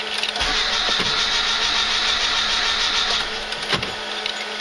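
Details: Slavuta 1.2 carburettor car on second-generation LPG, cold winter start: steady cranking that never catches and no engine firing, because the gas reducer is still too cold; owner warms the reducer before retrying.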